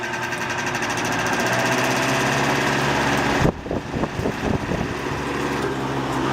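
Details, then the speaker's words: Circa 1959 Frigid 20-inch all-steel, 3-speed oscillating box fan on high speed: a steady motor hum with an even rush of air and a brief clatter midway. Runs smoothly, normal on high. "Man, this thing is a wind machine, I'll tell you."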